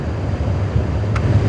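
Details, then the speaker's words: 2004–2011 Ford F150 with manual climate control, after blower motor resistor replacement: steady, even rush of air from the blower through speeds one to four, no rattle, whine or ticking; fan working normally. "So we'll go ahead and turn the key forward and let you hear the fan. You can see it's already running on low."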